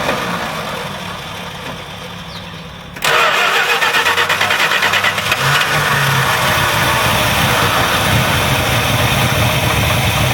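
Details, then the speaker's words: Carbureted engine with Edelbrock carb, sat a while on E10 fuel, primaries clogged; after cleaning primary side on-engine and setting idle screws 2.5 turns out, starts first crank, idles fairly quietly, slightly lumpy, no longer banging or popping. "a little bit of rough idling but that's better than it was it's darling quietly not banging anymore"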